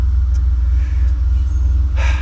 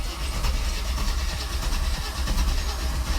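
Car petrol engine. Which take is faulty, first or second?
second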